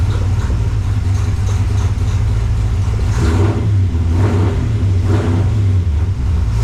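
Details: 1968 AMC Rambler American 401 V8, rebuilt, after tuning and timing adjustment: deep burble rising and falling through a few blips, pulling up cleanly without stumble or clatter. Healthy.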